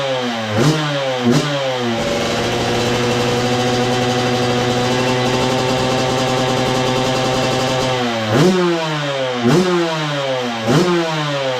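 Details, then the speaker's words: 2002 Yamaha YZ125 two-stroke that sat a long time, first run after cleanup with choke on: revs blip up and down then hold a smooth steady high buzz, no knock or clatter; crank sounds good, healthy. "Yep. She runs good. Let's go. Well, there you go, guys. Running really good too. And I knew it would."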